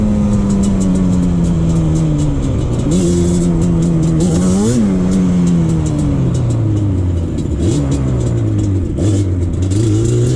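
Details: 2001 Yamaha Banshee 350 two-stroke on a POV test ride after new clamps fixed an exhaust leak. Crisp wail climbs cleanly through each gear with quick early shifts, no spitting or puffing from the pipes; healthy two-stroke exhaust.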